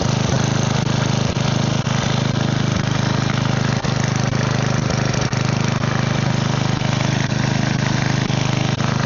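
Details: Side-shaft small engine for a go-kart after fuel line repair, running on a 2x4 with air filter off and smoking: steady even thrum, low hum and light regular ticking at constant speed, no surging; seems to run fine.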